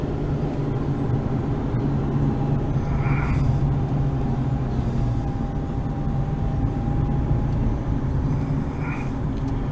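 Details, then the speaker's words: Dodge Avenger cruising after replacing the faulty right (passenger) wheel hub with the driver's-side unit: steady low road and engine drone, no growl or hum rising with speed; hub bearing now healthy. "going down the road here. As you can hear, no road noise. I mean, no wheel hub noise. So I finally fixed the wheel hub."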